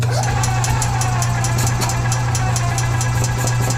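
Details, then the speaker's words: 2015 EZGO Express S4 gas golf cart, crank-no-start from water in the carburetor after sitting over winter, fuel filter added. After the repair the engine starts without choke and idles smoothly: a steady low drone with light, even ticking and no misses. Normal idle. "see if it'll start on its own without choke okay so we're able to get the engine to start without choke which is good"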